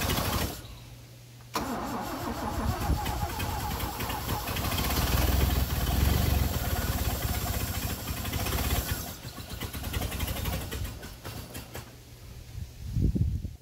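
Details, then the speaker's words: 1978 Toyota FJ40 after long storage, first start attempt with gas poured into the carb and a battery fitted, possibly flooded: quick crank, then it catches into a steady, fairly even, low-rumbling idle. Normal running on first start. "Oh! It runs! Flooded. Huh? I don't know. It sounds good, actually."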